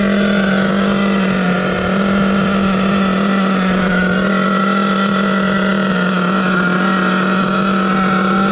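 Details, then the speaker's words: Savage X46 nitro RC truck, three-speed transmission just rebuilt with all-metal gears, first adjustment; high nitro buzz holds one steady pitch, no audible first-to-second shift, owner unsure if stuck in second, not shifting into third. "so i'm not getting second first into second i'm not hearing it is it stuck in second gear i don't know i know it's not shifting into third"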